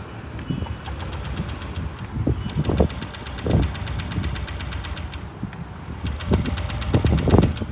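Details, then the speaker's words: BS6 scooter with repeated short starter bursts over a faint fast ticking; it cranks but never starts because the in-tank petrol fuel pump motor has died, which the owner attributes to low fuel levels. "ಆ motor ನನ್ನ ಗಾಡಿಯಲ್ಲಿ ಕೆಟ್ಟೋಗ್ಬಿಟ್ಟಿದೆ ಗುರು. ಅದಕ್ಕೆ ಗಾಡಿನೇ start ಆಗ್ತಿಲ್ಲ."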